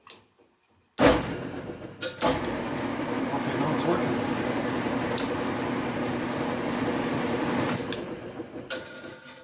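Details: 1994 Accura metal lathe, unused about two years, electrical fault: a clack, then the motor hums up and runs evenly about six seconds before winding down after working the bottom lever; runs one direction only, owner suspects bad capacitor.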